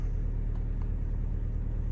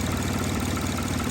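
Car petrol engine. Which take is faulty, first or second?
second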